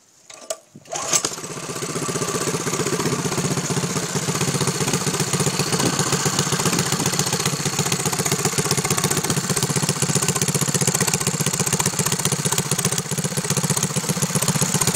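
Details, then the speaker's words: Mini bike with a Predator 6.5hp single-cylinder engine and a swapped one-quart gas tank: catches quickly and settles into a steady, even buzzing run with no misses or knocks; normal running with good compression. "Good compression little engine. I can feel the compression all the way out to here, which is about 1.5 foot away."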